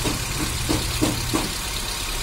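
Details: Hyundai Xcent, 1.2 L Kappa engine, idling after the defective starter bendix that made cranking miss was replaced: a steady, low, even hum with no knocking or misfire, normal idle.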